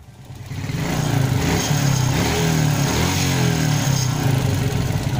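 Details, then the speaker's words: Motorcycle with hot engine after carburetor repair for brebet (stuttering): revs to a steady, throaty run with no pops or bangs when throttle is closed; no more backfiring, engine still slightly rough. "udah enggak ada gejala nembak lagi ketika kita turunkan gasnya bermasalah di kaburator dia sudah beres menemani"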